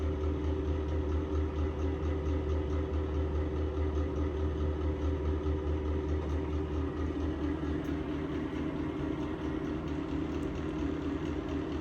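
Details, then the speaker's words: Exhaust fan: constant low drone with rough wavering hum and slow pulse, sounding worse than before, from bad bearings; fan to be replaced. "It sounds worse. The exhaust fan to your left. That thing sounds like it's about to"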